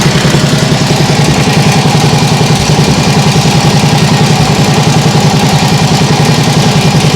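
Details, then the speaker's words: Nibbi G619 walk-behind tractor single-cylinder after carburettor adjustment, throttle handle lowest: steady, even beat at constant idle like a sewing machine, no stumbles or surging; much better than before. "doesn't that sound better yeah that sounds much better like a sewing machine that sounds great really great"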